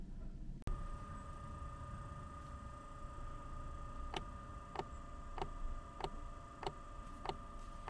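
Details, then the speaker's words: Chinese Vevor diesel parking heater (5 kW unit limited to 2 kW) at startup after glow-plug preheat: steady fan hum with even fuel dosing pump ticking about every 0.6 s as combustion begins in the burner; normal startup. "et bien voilà on entend la pompe vient de se mettre en route et là on entend bien que dans le brûleur il se passe des choses c'est la combustion qui se passe"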